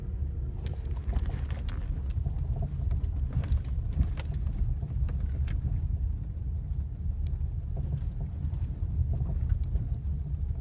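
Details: Ford Mondeo 4 driving over uneven road: scattered dull irregular knocks through the road rumble; the knock also occurs when pulling away and when braking; suspension knock over bumps.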